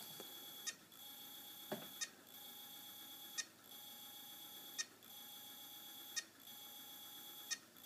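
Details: Hard drive, cover off, repeatedly spun free by hand after locking up: high beep with a click about every second and a half over faint whir, struggling to spin up; head plate looks unstable, cause suspected, not confirmed.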